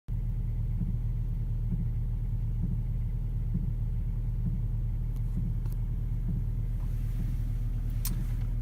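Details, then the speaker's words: VW Touareg 3.0 V6 TDI diesel idling at 6°C with heater, AC and radio off: a soft, even pulse like a slow heartbeat, heard only in the cabin. It is sporadic and gone after a restart; the owner wonders about the auxiliary heater, and the chain tensioner is fine. "dieses gleichmäßige geräusch was wie ein herzschlag ungefähr in der geschwindigkeit ist das wäre ich nur im innenraum und nicht im motorraum und auch nicht außen"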